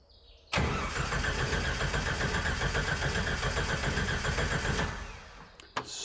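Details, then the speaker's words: Jeep YJ-based Willys Wagon that stopped running: strong, even cranking that never catches, relay clicks but no fuel pump buzz; failed fuel pump, replaced. "the starter is cranking over no problem but I don't hear fuel pump and usually that's a sound that you would hear as soon as you crank over the ignition"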